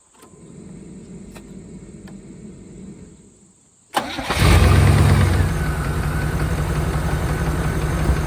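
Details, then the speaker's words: 1992 Chevrolet Caprice wagon 350 V8 parts car, sat in a field, thought seized; restarted after a critter was apparently blown out the tailpipe. Catches quickly, steady idle with faint light tick; owner suspects one rocker, plans to check lash, considers it a good engine. "runs good well as far as I'm concerned this is a good engine I don't care that little tick and tick in there and that's no big deal when I get the engine out I'll check the Lash on that rocker"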